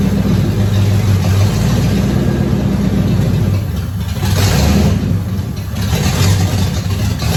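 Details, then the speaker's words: Mark VII sitting 3 years, first start on starting fluid with the fuel pump fuse pulled to avoid old gas: catches and runs unevenly, surging and sagging; ignition confirmed firing, fuel pump and tank to be checked. "well the good news is is we know ape will run on starting fluid i pulled the fuse for the fuel pump so it's not pumping the three-year-old gas through the system"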